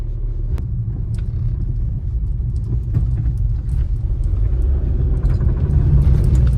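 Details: Skoda Laura with original, never-repaired axle/driveshaft, car shakes at high speed: irregular sharp "kat kat" clicks over a low rolling rumble while turning left or right; points to a worn CV joint, axle overhauled.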